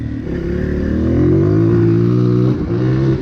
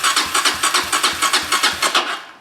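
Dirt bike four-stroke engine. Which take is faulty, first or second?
second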